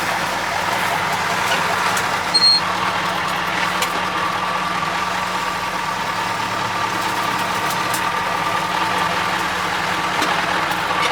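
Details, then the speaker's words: Cummins 903 V8 diesel in a Ford LNT 9000 Louisville truck at idle: steady idle with a constant airy hiss on top, no rhythm; compressed air escaping, suspected leaking horn valve. "she must be getting a horn valve must be leaking a little bit it's getting a bit of air"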